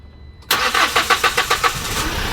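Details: 2020 Hyundai H100 with hard starting, SCV suspected: a few seconds of cranking with rapid even pulses, then the engine catches and settles to a rough idle; slow to fire, cause not confirmed.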